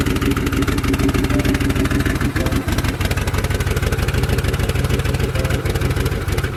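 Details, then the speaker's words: Turbocharged Mercury Marauder with DOHC 4.6 V8, which earlier stalled on throttle taps: steady low idle with an even exhaust pulse. The knock heard at an earlier start is no longer audible. "Sounds like it's idling a little better."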